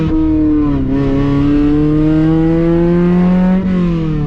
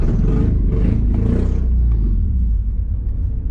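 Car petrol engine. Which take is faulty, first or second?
second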